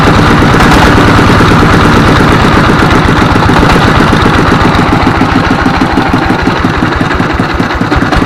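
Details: S1115 24 hp single-cylinder diesel after injector assembly and injection pump replacement: loud, steady clatter at even speed, regular firing, no hunting or surging; running properly again.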